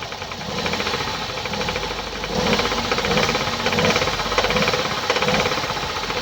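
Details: 2017 Hyundai i30 PDE, 2.0 petrol G3LS (88 kW), 77,160 km, running: fast uneven ticking rattle over the engine, loudest on higher notes; top-end tick attributed to defective hydraulic lifters.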